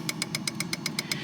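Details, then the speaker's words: Fuel injector number one clicking sharply and evenly, about eight per second, during an actuation test run from a Kingbolen K7 OBD2 scan tool; the injector works normally. "Hör ni att det klickar här? Ja. Och det funkar ju bra."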